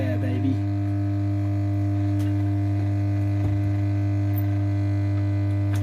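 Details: Pilot radio powered up: loud, steady low mains hum that does not change, drowning everything else; reservoir capacitor suspected open circuit, not confirmed.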